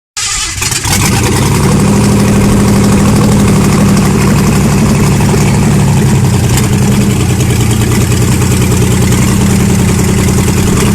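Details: First start of a Ford Granada MK1 3.0 V6 Essex after a full engine rebuild: catches after a brief crank and settles into a steady, even idle with a smooth low beat; healthy.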